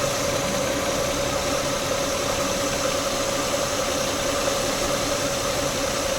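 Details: Peugeot 406 V6 idling warm, coolant near 90 degrees, oil temperature still low, after fixing an engine oil leak: smooth unbroken idle hum with faint steady tone, no knocks, misses or ticks; normal idle.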